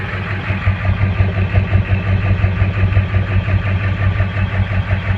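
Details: 2000 Ford F350 diesel with 200/80 hybrid injectors at rough idle, heavy uneven lumpy pulse of about two beats a second rising and falling instead of holding steady.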